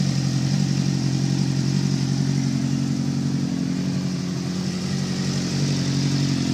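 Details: Suzuki GSX-R 690 motorcycle running: steady mid-pitched note with a faint irregular knock near 3/s riding over it, source not pinned down; engine knocking.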